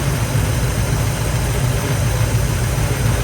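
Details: Carbureted engine idling after a carburetor rebuild and tune, plugs back in, during a vacuum check reading about 11–13 inHg: steady, even low rumble with no misses, knocks or hunting; normal idle.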